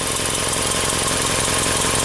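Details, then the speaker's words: Subaru with P0420 code, likely OEM header: idling with fast, even puffing tick and hissy edge, loud on revs, backfires on lift-off, from exhaust manifold leak at pipe junction ahead of the catalytic converter; fix needs manifold and cat assembly. "there's an exhaust leak right here you hear it when you give it guys it's really loud even backfires if you let off somewhere in this Junction where all the pipes come together"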